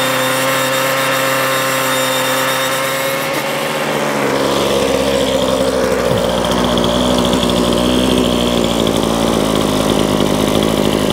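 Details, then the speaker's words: Ryobi two-stroke trimmer that would not run, heard after strip-down, service kit and pull-start refit, on fresh fuel with two-stroke oil: buzzes from low run to a steady high scream without stumbling or cutting out, running normally. "so that's it done that seems to be working fine"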